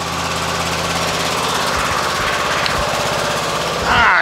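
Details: Husqvarna riding mower with blades engaged after replacing deck spindles worn by unbalanced bad blades: steady, even engine drone with no grinding or rattle from the deck; normal running.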